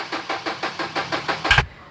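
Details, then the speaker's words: 2012 Chevrolet Z71 with 2.5 diesel that won't start, brought in on a tow truck: even starter cranking about six pulses a second that stops without the engine catching; cause unknown, codes to be scanned. "นี้เบื้องต้นนะสตาร์ทรถไม่ติดนะฮะคือเราจะทำการแก้ไขและซ่อมเช็คโค้ดดูก่อนว่าเป็นที่อะไรนะครับผม"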